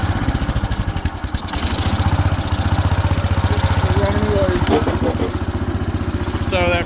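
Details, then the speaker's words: 1970s AMF 1414 barn-find garden tractor with the fuel filter removed, choke off: regular, even single-cylinder thump, firing steadily with no skips. The earlier fuel starvation is blamed on that filter; earlier cut-outs came from the seat safety switch. "Running good. So, I think that fuel uh fuel filter was our issue. I took that out and now it's running good with the choke off."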